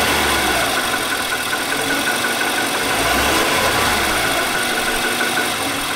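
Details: 2018 Nissan Armada 5.6 L V8, original engine before short block replacement under TSB; rough idle with rattly, uneven, diesel-like knocking about four per second.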